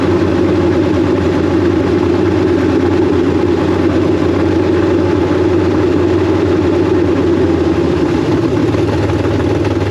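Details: K5 Blazer V8 with big cam, Holley Terminator X EFI, ex-E85 injectors, new power steering pump and belt: steady, loud idle with firm even rumble, no dead-cylinder miss, idle still self-learning; running on all eight cylinders.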